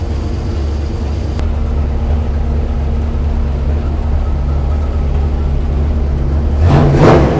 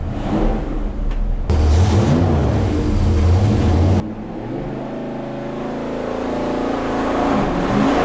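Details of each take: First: Numbers-matching 440 Magnum U-code V8 in a 1970 Dodge Charger R/T on the dyno, ported heads, exhaust manifolds, bored 30 over, forged pistons, original six-pack rods; deep, steady idle after RPM brought down, brief blip near end, no knocks or ticks: normal idle. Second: Numbers-matching 440 Magnum U-code V8 in a 1970 Dodge Charger R/T on a dyno pull, ported heads, exhaust manifolds, bored 30 over, forged pistons, six-pack rods; revs hard, note breaks and stumbles briefly around 5,900 rpm then recovers: little high-rpm misfire.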